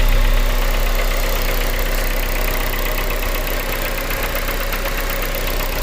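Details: 2001 Honda Civic DX with swapped JDM K20A (PNA), Kpro, 650cc injectors, idling: steady knock besides injector tick, present since swap 7k miles ago, louder in cold temps; cause unknown.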